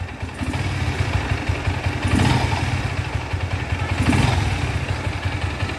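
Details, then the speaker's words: Bajaj Pulsar AS 150 single-cylinder just after full engine rebuild (new valves, seals, guides, cam, rockers, timing set), first start before break-in: steady idle with even beat, gentle rises, no knocking or ticking; running healthy. "ইঞ্জিনের সাউন্ডটা শুনুন মাত্র start হলো এখন আমরা বাইকটা free করাবো তারপরে সাউন্ডটা আরো স্মুথ হবে"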